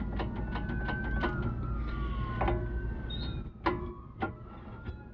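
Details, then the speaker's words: 2000 Jeep TJ front axle universal joint, brake disc removed, rocked by hand: wavering high squeaks and loose clicks from a worn, sloppy U-joint knocking around; joint is being replaced. "our issue got some squeaking going on that's gonna be part of our problem"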